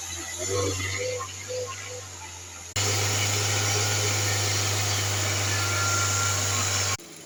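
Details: Hyundai Verna idling: quiet idle, then a loud steady hiss and low hum switch in with the AC for a few seconds; abnormal noise, source unclear.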